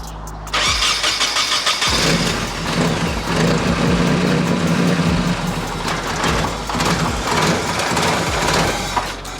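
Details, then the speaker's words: Nissan 240SX S13 KA24DE with freshly rebuilt injectors and a new fuel pump, started with the MAF sensor connected: cranks, catches, runs rough and uneven, sags and dies within seconds; owner suspects the MAF sensor, else the wiring harness connector. "Oh, she died. That's with the MAF connected."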